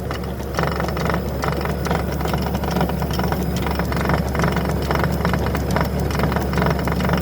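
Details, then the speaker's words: Toro 60V PowerMax E24 two-stage electric snowblower, new, on high speed: steady motor hum with irregular clinking and clonking from impeller; quieter on low/eco mode, belts squeak in reverse; owner suspects snow froze inside after outdoor shed storage. Cause not confirmed. "this is high sounds like it's coming from the impeller suckers come from the impeller the inside propeller impeller"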